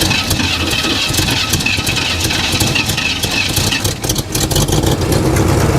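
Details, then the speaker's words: 1987 Chevrolet Monte Carlo SS V8, first start after sitting 20 years, orange rust smoke: lumpy but steady idle with deep burble, no knocks or misses; compression on both banks, engine sounds good. "Reverse lights are still on. Surprisingly, this engine sounds really good."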